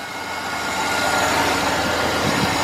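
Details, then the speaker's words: 2007 Chevy Suburban after replacing serpentine belt and belt tensioner pulley, engine running: even steady hum with no squeal or chirp; belt drive quiet, squeal fixed. "ground here check everything out nice and quiet nice and quiet enough that you want to hear"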